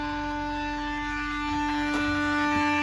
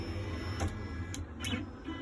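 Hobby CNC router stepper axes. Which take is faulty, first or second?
first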